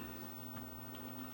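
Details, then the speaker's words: JVC LA31 direct-drive manual turntable with auto return: quiet ticking over faint motor hum as a single cam lifts the arm, returns it home and shuts the unit off; normal auto-return after service. "It's just a single cam that resets and moves the arm back to its starting position and shuts the unit off."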